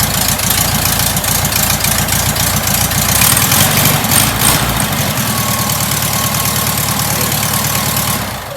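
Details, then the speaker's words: Rebuilt air-cooled VW flat-four, an engine once left on a sidewalk, on its first start: steady, even idle with a clean, regular exhaust beat and no knocks or misses until shutdown; normal idle. "This is the engine that was on the sidewalk, and it's back. It's alive. It's running."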